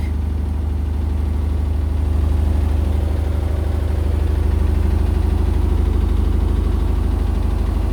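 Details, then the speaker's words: Indesit BWE101683 washing machine on an extra spin after a 1000 rpm push-and-wash: a deep, heavy rumble with a steady thump about three times a second; shaking like a train, with heavy waterlock. Unbalanced spin, blamed on an uneven floor with flooring out of its slot. "right now and it's shaking again the washing machine shaking and it sounds like a train again sounds like a train again oh that is a really crazy water look"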